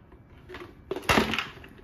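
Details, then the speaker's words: Butterfly Jet Elite 750 W hybrid-motor mixer grinder with three jars, new and delivered damaged: short sharp clattering bursts as the unit is shaken, a detached internal piece rattling loose inside the body. "So ఇప్పుడు మీరు sound వింటారన్నమాట ఒక special sound ఇదేంటంటే ఇక్కడ ఉండాల్సిన ఆ point అనేది ఊడిపోయి లోపల పడిపోయింది. ఇలా సౌండ్ వస్తుంది."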